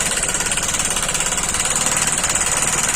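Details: Honda Shine (CB Shine) motorcycle engine at idle: fast steady metallic knocking from worn bearing and piston knock.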